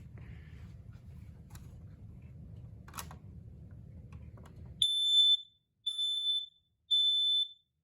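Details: Kidde battery smoke alarm test; three loud shrill beeps about a second apart over a quiet room, normal test pattern, alarm working.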